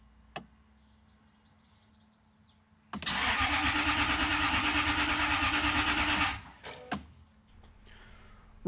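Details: 1998 Jaguar XK8 that has reportedly burnt through two fuel pumps, cranked during fuel pump work after cycling the ignition several times to prime. The starter churns steadily for about three seconds, roughly three pulses a second, but it never catches and will not start.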